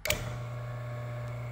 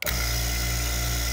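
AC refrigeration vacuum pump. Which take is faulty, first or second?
first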